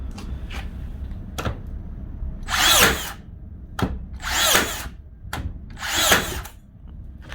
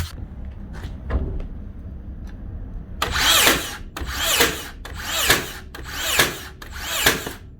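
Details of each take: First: Makita DBN600 cordless second-fix nailer after regreasing, O-rings not replaced: three clean cycles, quick whirr then sharp bang about every 1.5 s; fires reliably, though one nail jammed; nailer firing reliably. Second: Makita DBN600 cordless second-fix nailer from 2021, before repair, not always sinking nails: five sharp snapping shots about a second apart, several blank without a nail; intermittent blank firing from dirt and dried grease.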